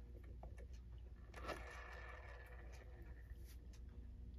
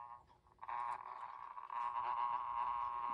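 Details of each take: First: Sessions Electric clock from about the mid-1930s with a Hammond manually started motor, after repair and reassembly, plugged in and started: a soft, steady low hum with a few light handling scrapes; it is running smoothly and quietly. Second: 1930s Sessions electric clock with Hammond parts, before repair: once spun started, the movement runs with a loud, steady buzz with a rough chattering edge; cleaning and lubricating the gears are hoped to cure the noise.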